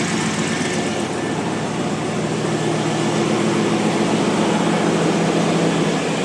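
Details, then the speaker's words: 2002 GMC Sierra 2500HD after new exhaust manifold gaskets, ARP bolts and studs: quieter even idle with only faint injector clicking, no exhaust manifold ticking; slight buzz, owner unsure if injectors, bolts to be rechecked. "wow it's quieter not ricky ticky tabby all i hear is injectors there that's cool wow and it's running too"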